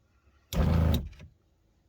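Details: Motorhome water pump with taps closed runs briefly in half-second bursts then cuts off; short-cycling because a leak drops line pressure.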